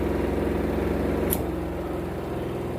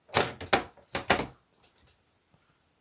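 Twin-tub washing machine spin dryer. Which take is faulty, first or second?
second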